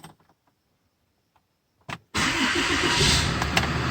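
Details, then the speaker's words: RAM 5500 6.7 Cummins diesel after upper fuel filter replacement, primed by cycling the key to run for 4 seconds then off, seven times. A very brief crank, then it fires almost instantly and settles into a steady, even idle; normal start. "And it fired right up. See? It fired almost instantly."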